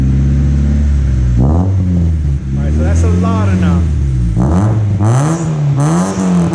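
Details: 1990 Honda Civic after the stock muffler was cut out and an aftermarket muffler welded in: deep, loud drone rising and falling with throttle blips.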